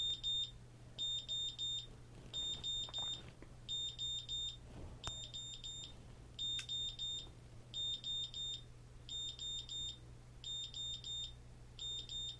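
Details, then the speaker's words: GZAIR SA104 electrochemical carbon monoxide detector, reading pushed over 200: high, shrill beeps in quick groups of four, repeating about every 1.5 seconds, the alarm tripped by high CO. "Get it up over 200 so we can hear that alarm again."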